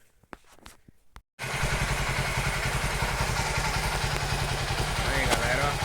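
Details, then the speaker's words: 2008 Honda Titan CG 150 single-cylinder at idle: loud, hard metallic knock on every beat, about three a second, sometimes louder; piston slap, worn piston found on teardown. "Tem vezes que o barulho altera mais ainda, galera. Barulho bem forte mesmo. Tem vezes que o barulho altera bem mais do que tá agora."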